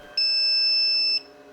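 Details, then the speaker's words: HICTOP S250 3D printer filament runout sensor detects cut filament mid-print: single loud steady high-pitched beep over quiet fan hum, and the print pauses. "so i literally cut the print short once assessor detected the line cut that was greeted with a loud alarm and the print was paused"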